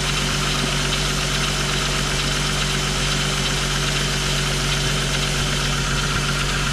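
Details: 2000 VW Eurovan idling on a cold ~20° morning after replacing noisy-bearing A/C compressor and swapping clutch, A/C not yet on: even, steady idle, no squeak or chirp from belt side; accessory drive smooth and quiet, noise gone.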